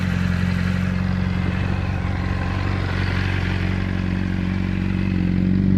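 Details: Honda CBR600RR with cam chain and cam chain tensioner (APE manual) replaced: steady rapid metallic clatter about four a second over low even engine hum, unchanged when clutch squeezed; engine clatter, cause unknown.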